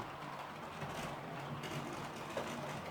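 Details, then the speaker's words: Model class 66 locomotive on a new decoder circulating the layout: steady gritty grinding under the motor hum as it comes round, otherwise runs and pulls well; cause not identified. "you can hear a grinding around the layout he's just coming around now but once she's going you know she's all right"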